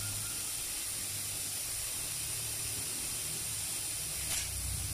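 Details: One-door refrigerator modified with two compressors, long unused so a blockage was feared; with the evaporator pipe checked, a steady strong high refrigerant hiss over a faint low hum, no sputter or gaps; flowing freely, suction good.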